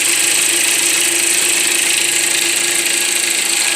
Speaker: so I could still hear the noise and to be honest it does sound like it's coming from underneath the valve cover